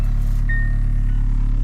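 Deep lumpy idle with a steady pulsing beat in the rumble and a faint chime above; the engine is running rough.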